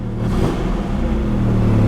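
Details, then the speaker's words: 1984 Datsun 300ZX Turbo with 243,000 miles, bought at auction; a short throttle blip gives a rough low rumble with no turbo whistle or spool as revs climb. Turbo is definitely blown. "oh man she's uh yeah the turbo's definitely blown i think the cummins is warming up right now yeah the turbo's definitely definitely gone"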